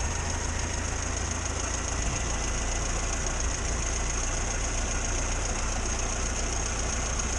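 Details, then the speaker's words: 1962 Morris Minor with a suspected ignition fault, idling: steady, even low idle with no misfiring, stumbles or dropouts; runs normally for now. "Well, as we know, everything's alright in a minute. There's been no misfiring."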